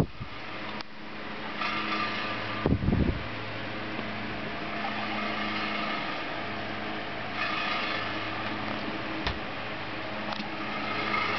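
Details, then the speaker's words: 1950s General Electric Standard one-speed oscillating electric fan, motor windings good, cosmetically poor: steady smooth motor hum with light irregular rattle from a loose part; fan rattle. "it's one speeed it oscillates pretty quickly has a bit of of a rattle but I'll get that"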